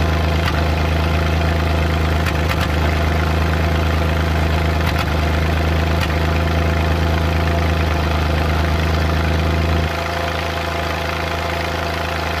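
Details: Suzuki Multicab F6A at idle: loping beat with an uneven "Tak...Takatak...Tak" stumble now and then, random misfire, cause unknown.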